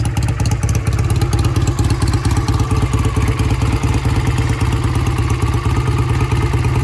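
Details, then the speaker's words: Vintage British motorcycle, sat for a couple of years, carburetors cleaned twice for clogged passages, on a road test, Phoenix ~70°F: steady even low thumping with no misses, knocks or rattles; runs smooth and strong, repair done. "I like this bike. It runs really nicely, smooth, shifts okay, brakes are okay, runs strong."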